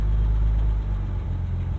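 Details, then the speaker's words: 1964 Jaguar E-Type Series 1 roadster, 3.8L inline six, warm from running, choke set to hot position: starts quickly and settles into a deep, steady, smooth idle sitting a little high on the choke; normal high idle. "we have been running it so it's pretty warm put that up to the hot position as opposed to the coal position and this is our ignition button foreign pretty darn quickly and then idling a little high"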